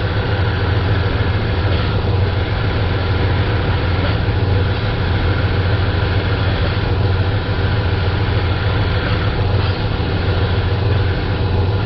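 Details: Dodge Ram with a couple hundred thousand miles, after power steering pump replacement, wheel run lock to lock: steady low engine drone with faint slow swells, no distinct pump whine or groan.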